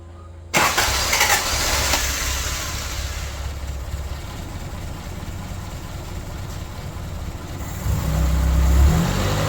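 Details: Toyota Tercel wagon 3A engine after head gasket replacement, with timing checked and the missing exhaust gasket fitted. It cranks briefly, catches cleanly and settles into a steady, even idle with a smooth blip; runs healthy.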